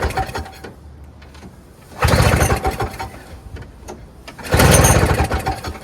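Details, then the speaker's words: Toro Snow Commander 7 hp R-Tek 24-inch single-stage two-stroke snowblower, early 2000s, never run since acquired, starter gear stripped so pull-started: two pulls, each a short puff of smoke and one or two firing beats, then silence; no-start, fires briefly. "this has never run as far far as I know in my possession it only has puffed out some smoke and maybe turned over one revolution"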